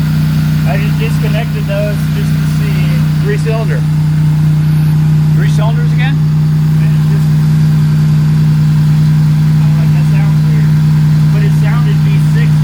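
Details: EG Civic drag car after a J37 to J35 engine swap, hot, at idle: a steady low drone with an uneven, lumpy pulse; rough running, cause unclear, possibly cylinders firing at the same time.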